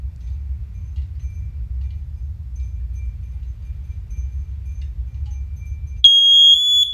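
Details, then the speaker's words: First Alert OneLink hardwired alarms, test started from a lower-pitched first-generation unit: a low rumble is cut off by a piercing high tone as the linked alarms go off, reacting quicker than when started from the other units. "holy crap okay now for some reason it it actually reacted quicker when i pressed when i pressed the lower pitch one"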